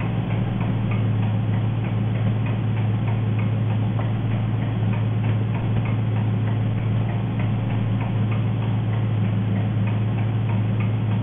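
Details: Engine running on gas (LPG): fast, sharp ticking about three and a half per second over a steady idle; loud nagging tick, cause not pinned down.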